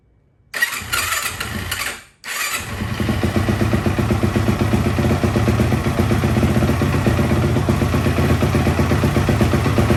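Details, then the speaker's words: 2004 Yamaha YFZ450 ATV, first start in years after rebuild with new exhaust: brief crank, a false catch, then fires and settles into an even, steady idle, idling perfect. "Uh-oh, it's gonna go. idling perfect."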